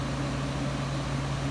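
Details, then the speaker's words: 1995 Friedrich KStar 8,000 BTU window air conditioner, Q-chassis, R22, rotary compressor with a loud start kick then quiet: steady even low hum with soft fan rush, no knocks or rattles; compressor running smoothly and quietly. "it's got a Humpty rotary compressor that has a little bit of a loud kick to start otherwise it's silent afterwards"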